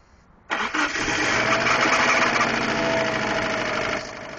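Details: Ticking at idle on a 2002 Subaru Impreza WRX, begun about two weeks earlier: the engine catches and settles into a busy idle with a light, fairly quick tick riding over it. Source unclear.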